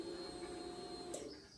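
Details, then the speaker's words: Triumph Tiger 1050 under revival, cold, ignition switched on with Tune ECU connected by OBD2 cable: steady mid-pitched electric hum about a second then clean cutoff; healthy fuel pump priming. "the fuel pump's doing doing fine so you can see the bike has been running a minute but it's cold"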